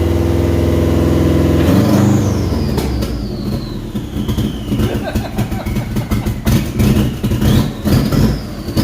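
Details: Subaru Brat with WRX swap, started after cam sensors were cleaned: about two seconds of cranking, then it catches and revs, settling into a slightly uneven run with a faint whistle; engine starts and runs, cause unknown.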